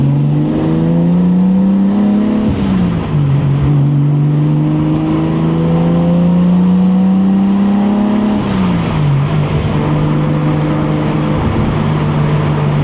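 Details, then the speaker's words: 1989 Toyota Supra, stock-block 2JZ-GTE, BorgWarner S362sxe turbo, T56: level 2 boost, about 20-21 psi, near redline; note climbs smoothly through each gear, drops at shifts, strong and clean under boost. "Level 2, 20 pounds. I took it all the way close to red line."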